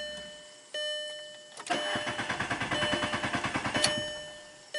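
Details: 2003 VW Jetta with intermittent stall/no-start when driver's door is open: door chime, then about two seconds of even cranking roughly nine beats a second with door open, never firing; starts once door closed. Crank no-start.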